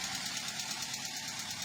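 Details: Toyota Avanza K3 engine at idle after recent work. Light, quick, even ticking about nine times a second from improper, too-loose valve clearance; the customer disliked the sound and it is to be adjusted.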